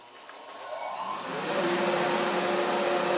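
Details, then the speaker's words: Shop dust collector with new homemade blast gates and modified ductwork: a steady roar with thin high whistles from small duct leaks, which drop off when a gate is opened. Air leaks whistling in the ductwork. "there's a few small leaks throughout the shop, and you kind of hear whistling from them."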